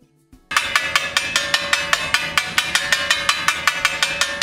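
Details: Dutton-Lainson CD4000 brake winch after brake pad and ratchet wheel replacement, wheel turned clockwise: crisp, evenly spaced pawl clicks about four per second, showing the winch works normally; normal ratchet pawl clicking.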